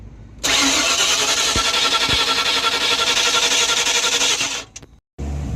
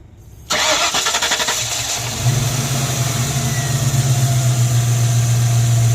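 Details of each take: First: Newly bought project car, fuel-injected, fuel pressure confirmed at the rail: steady, fast cranking for about four seconds with no catch at all; owner suspects the ignition coil isn't firing but isn't sure. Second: Mystery project car before a parking-lot test drive: cranks briefly, catches, settles to a fairly smooth low idle that already hesitates a little; timing and fuel pressure suspected a little low.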